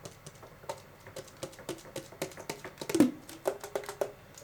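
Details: Sharp, dry clicks and taps from the octave key of a vintage Selmer Mark VI saxophone as it is worked, in a quiet room.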